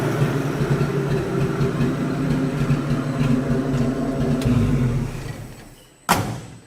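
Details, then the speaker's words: 1967 Ford F-100 240 six, revived after 30+ years parked: loud, raw straight-pipe exhaust with no muffler, running fairly evenly with a throaty blat, then shutting down; runs decently, just loud unmuffled. "it'll sound better once you get a muffler on the thing it's not just just straight pipe out the wi pipe"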